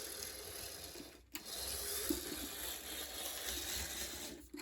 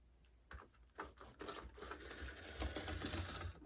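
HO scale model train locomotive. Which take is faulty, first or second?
second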